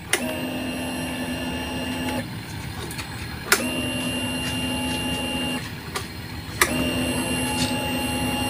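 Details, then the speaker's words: Motorcycle fuel pump with a power-up voltage booster set to 14.5–14.6 V, battery at 11.5 V: strong, steady electric whine in runs of about three seconds with short pauses; louder and firmer than on stock 11.2 V, running normally. "Untuk kesehatannya jadi kita dengarkan suara pulpamnya seperti apa untuk suaranya, Mas Bro."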